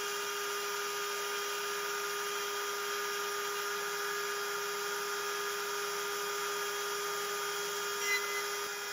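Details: Genmitsu 3030 PROVer Max desktop CNC with 1.25HP Makita router replacing the stock 300W spindle, same aluminium G-code: steady high-pitched cutting tone, no wobble or chatter; vibration gone, smooth cut, much cleaner finish.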